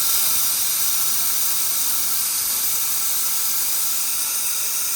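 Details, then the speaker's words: 2003 Ford 6.0L diesel, valve cover off, engine not running: air test gives a steady loud hiss past failed injector O-rings, far back and center seals gone, which is why the truck won't run, usually when hot. "A little O-ring will stop these trucks from running, and that's exactly what happened. It almost looks like two of them. Yeah, two of them. The very far back one and the center one. Both seals have gone. That's why this truck is not running."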